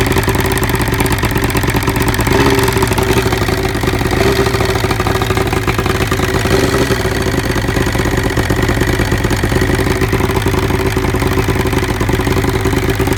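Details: 1975 Evinrude 70 hp outboard: a loud idle with a ragged, stumbling beat and uneven chatter. Cylinder 1 misfires from spark arcing down the plug porcelain; fixed with a cleaned boot, a new plug and grease on the porcelain.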